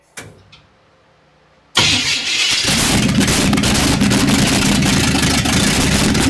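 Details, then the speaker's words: 1955 Chevrolet truck with straight manifolds, cranked after fuel was added: a steady, even cranking rhythm of about four beats a second that never fires, despite 60 lb of oil pressure. Cranks but won't start; not picking up fuel, float possibly stuck. "We ain't picking up no fuel yet, boy. Float might be stuck."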